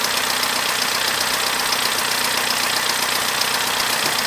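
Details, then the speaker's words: Abandoned Corsa small petrol engine after repairs: steady even idle with fast light tick, no stumbling or misfire; far better than before, warning light off, slightly rough at first start. "Now, not only does that sound 10 times better than before, the warning light has gone off of the dash."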